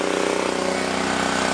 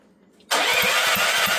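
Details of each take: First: Previously seized auction generator, throttle stop refitted, at full throttle producing 240 volts and drawing about 1500 watts: steady, fast single-cylinder thrum holding an even beat under load, no hunting or misses. Normal running under load. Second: Auction generator bought with a fully seized motor and water filling the fuel tank: rapid uneven chugging on the electric starter for several seconds, a pause, then more cranking; it turns over but never catches. Cranking, no start.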